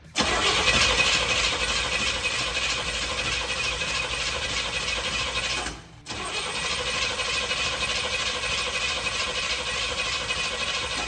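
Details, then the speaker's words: 1969 Jeep Gladiator, non-running for years, cranked with a new see-through fuel filter fitted to check fuel delivery: steady fast even starter cranking, engine never fires; no fuel reaches the filter, so the fuel pump is suspected next. Crank, no start. "All right, no fuel. So let's go ahead and check on the fuel pump."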